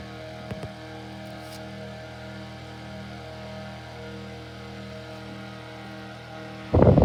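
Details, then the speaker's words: 1956 Zero Fan 1250R after repair, cleaning and pitching all four blades outward: a smooth, even low hum at steady pitch with no rattle or scrape. Quieter than before repair; running quietly and healthy. "Now, if you saw my previous video, in your opinion, do you think this sounds a lot better now than it originally did?"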